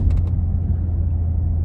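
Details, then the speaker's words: Cadillac STS on a test drive after replacing spark plugs and coil packs, driven hard: strong, even low rumble pulling smoothly under throttle, no stumble or missing beats; sounds much better, healthy. "Wow, she's getting 10 miles to the gallon though, because I'm dogging it. You can hear it, man. Oh my God, does this thing sound so much better."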